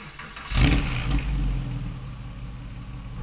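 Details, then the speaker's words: Porsche 911 996, over 20 years old, after IMS bearing and RMS work and a new lightened flywheel: engine catches, flares and settles into smooth idle; the earlier occasional knocking/tapping on start-up is gone, revs rise and drop quicker. "Do you know what? That sounds better. There's no like tapping sound or knocking. Sounds or smooth. Really smooth."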